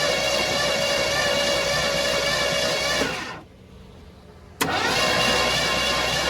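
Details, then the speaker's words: 1972 Ford F100 sat for decades, engine previously freed from being locked, new battery and spark plugs, cranked via remote start switch: steady even starter cranking that stops and resumes, engine never fires; crank no start. "Thing's cranking over, that's right. Crank it over, crank it over. Let's crank it over a couple more times."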